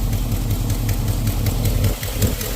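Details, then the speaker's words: 1989 Dodge D100 318 V8 with Borla exhaust, not yet fully tuned, idling with a lumpy rumble and a faint sharp tick about three per second: an exhaust leak near the rear headers; owner plans to tighten the header bolts. "So you can hear a little exhaust leak up here still. I'm gonna have to tighten some header bolts up, but she's a runner."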